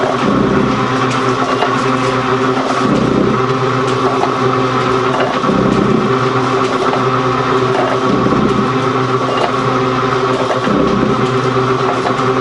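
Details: Gould & Eberhardt 24-inch heavy duty shaper (1912 patent date; owner guesses 1912–1930), just shifted into high speed with the larger pinion engaged, first high-speed run. Even gear hum with a soft ram thump about every 2.5 seconds, no knocks or grinding: normal running.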